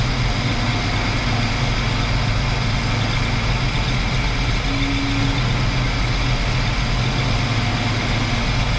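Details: 1968 Chrysler Newport 383 big block with an Edelbrock 750 four-barrel carb on a Weiand intake, timing set about 10° BTDC. A steady low idle with an even, deep rumble and no stumbles or misses. Normal idle.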